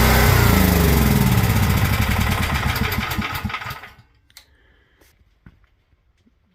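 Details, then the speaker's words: Generator that surged, after cleaning a clogged carburetor idle jet: small engine runs with an even, steady putter and no hunting or surging, then stops; normal idle after repair. "we go we got it back up and running as I suspected it turned out to go and be the idle Jet"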